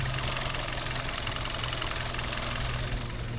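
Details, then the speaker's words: New 2021 Hyundai Solaris petrol engine idling smoothly with a fast light ticking chatter on top, the normal working of the fuel injectors; a slightly noisy but problem-free engine. "Немного просто непривычно, может быть, после японца. Вот именно работа форсунок, такое стрекотание."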